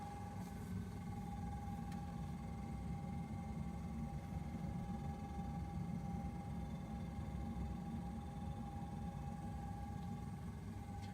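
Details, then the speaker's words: Brand-new Samsung RB31FERNDBC fridge freezer, run a while after delivery and settling: constant loud mid-pitched hum over low rumble; owner suspects fan with failed bearings or fouling, unconfirmed; unit being replaced. "I had it on for a while and it didn't stop making this noise sounds like it has a fan in it and the bearings are gone or is hitting something"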